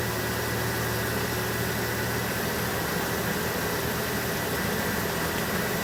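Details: 1974 Ford F-250 Ranger SuperCab straight-six, carburetor just tuned: steady even idle with no misses, knocks or hunting; runs smoothly.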